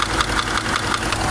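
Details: Subaru engine at idle, owner deciding whether to repair it or buy a replacement engine: a sharp, regular ticking knock about five per second over a steady idle, a clear internal knock, cause not pinned down.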